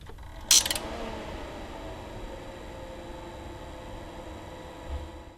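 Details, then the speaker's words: Tektronix MDO4000 oscilloscope, compared with quieter Agilent scope: click then steady airy fan hiss with faint whistling and audible fan bearing noise, loud in a quiet lab. "no you can hear the bearing noise in the fan it it is definitely louder and it's it's rather disturbing in a quiet lab it is actually quite loud"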